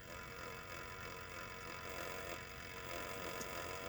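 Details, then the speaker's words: 1962 Sprunger Brothers wood lathe driven by a sewing machine motor, after replacing the spindle bearings with new 20x47mm ones and a new belt: only a low, even motor hum at slow speed with no rumble, knock or grinding; normal running. "Yeah, all I hear is the motor, which is fine."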